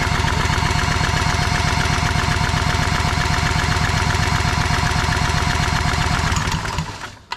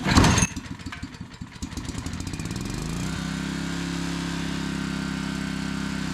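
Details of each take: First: Old long-unused barn-find Generac generator, spun with a drill and sprayed while cranking: rough, uneven putter about 2.5 beats a second that sags and dies; spark plug found wet-fouled, completely soaked. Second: Old Generac 4,000-watt barn-find generator, pull-started after choke and fuel bowl trouble, catches, stumbles, then settles into a smooth, steady run; normal running.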